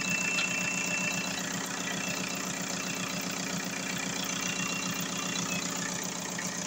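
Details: VW Golf 4 diesel after repair of a crank-no-start fault (injection pump errors: low delivery, open circuit); charging at 14.4 V. Steady, even idle clatter with no misses, knocks or hunting. Normal idle.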